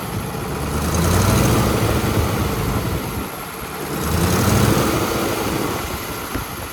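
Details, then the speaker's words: Allis-Chalmers 440 tractor diesel after repair for a loping issue, not yet tested under load: deep, even drone swelling and easing gently, no misses or knocks, quicker throttle response; normal running. "And also, like I said, it idles good. And when you hit the throttle, there's more response, quick response."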